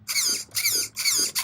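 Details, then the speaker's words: Traxxas Summit RC truck with two-speed transmission, checked while being bought: the steering servo gives four quick, crisp, even high-pitched whirs as it sweeps back and forth. It is working well and sounds healthy, showing normal servo operation. "this Servo here is driving they steering it's working good"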